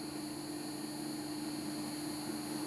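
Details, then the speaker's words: BEST BST-863 hot-air rework station after blower replacement: steady even blower hiss and constant hum, no flutter or rattle; reaches 375, then fan ramps to 100 during cool-down; normal blower and heater operation. "and now it's doing the whole uh cooling down ramp up where it ramps the fan up to 100 until it cools down so it's good"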